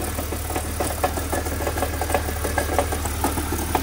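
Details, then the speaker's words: One of three early-2000s cars (2001 convertible, 2003 autocross, silver 2001), idling: irregular metallic clacks and rattles about twice a second from underneath; harmonic balancer ruled out, noise central, possibly in the transmission or the engine. "no that's in the trans I don't know it kind of sounds like this area of the motor so hard to tell"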